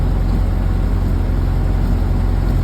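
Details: 1931 Ford Model A coupe, first run after an engine rebuild with a new Snyder 5.5 head, a little throttle: steady low drone with even firing that picks up speed as the spark is advanced. The engine runs clean.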